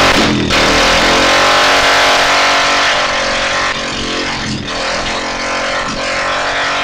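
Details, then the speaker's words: Go-kart small engine started on first pull after repair, idle not yet set: loud steady buzzing run held at fast revs without dropping to a slow idle; engine runs fine, idle needs setting. "I got this ready to where I can start it up on the first pool. I just need to give it in to where it can be in idle."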